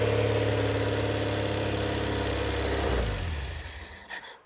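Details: Barn-find rear-engined Czechoslovak Skoda, long stored, revived. Steady, even idle with smooth low hum, no knocks or misses, then the engine winds down and stops near the end; normal idle.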